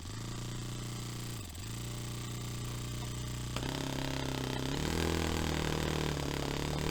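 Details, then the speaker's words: Saito FA-45 Special on first run after a full rebuild with new bearings, on a test stand, 10% nitro, carb still on initial untuned settings. A high buzzing note climbs in two lazy steps as the throttle opens; slow throttle pickup. "So it's obviously it's not tuned right, it's not set up, but as a starting point, I know it runs,"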